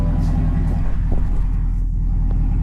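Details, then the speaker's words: 2024 Cadillac CT5-V Blackwing V8, under 3000 miles, with Corsa catback exhaust, valves open: loud, deep, even idle burble, no knocks or misses; a check engine light had logged an exhaust code, none lit while running with valves open. "And the the valves are open as you can see. It's loud. It's it's loud."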